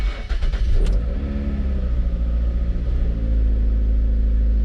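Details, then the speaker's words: 2008 Mercury Mariner after replacing the fuel pump under the rear seat: brief crank, then catches cleanly and settles into a smooth, even low idle with no misses or knocks. "fires up seems to run good"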